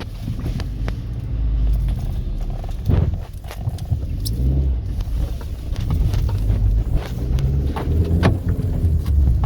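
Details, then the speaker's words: Kia Cerato road test, microphone placed at the right front wheel; dull irregular clunks over bumps through road rumble; worn shock absorber making a lot of noise. "aquilo três já tomou que tá com bastante barulho e vamos lá ó"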